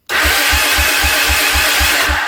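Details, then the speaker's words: Honda Big Red 300FW ATV cranking on the electric starter with the HT lead pulled so it won't fire: slow compression thumps under a loud shrill squeal, which seems to come from the starter motor or the mechanism next to it. "And if I pull the HT lead, the bike won't start, and you'll hear the squeal on the starter mechanism."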